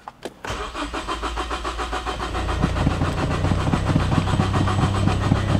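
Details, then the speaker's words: Big-turbo Ford Focus ST, first start attempt after a year, after replacing the high-side fuel pressure sensor on the fuel rail: the starter churns at 3–4 pulses a second and never catches. Fuel pump is next to be replaced. "NOP car still doesn't want to start all right so again part didn't work so what I am going to do I am going to buy a fil pump and we're going to change the fuel pump"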